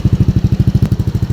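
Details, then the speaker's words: Yamaha Aerox V1 scooter after repair of misfiring, no idle and stalling; even regular thumping about twelve beats a second, no misses, check engine light now off; idling cleanly after running a while. "Ayan, kanina pa siya umaandar at wala na siyang check engine."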